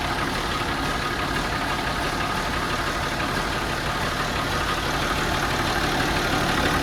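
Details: Allis Chalmers D17 Series 4 tractor, started after torquing head bolts and adjusting valves, where a loose tappet adjuster was locked with a lock nut: steady, even engine run with no knocking or tapping; valvetrain quiet and healthy.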